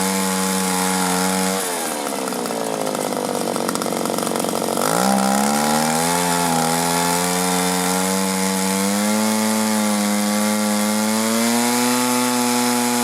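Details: 1983 Echo PB400E two-stroke blower, warmed up, carburetor never adjusted: high scream drops sharply in pitch for a few seconds at full throttle then recovers and climbs back; bogging and surging, cause not yet diagnosed.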